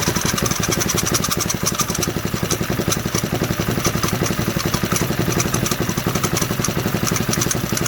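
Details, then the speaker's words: 1968 Briggs & Stratton 2.25 hp single-cylinder engine, first run after sitting for decades, unbolted on a workbench: a steady, even popping beat of about four firings a second with light mechanical clatter; it runs smoothly and healthy. "Holy cow, it just fired right up. Can't beat an old Briggs. That was phenomenal."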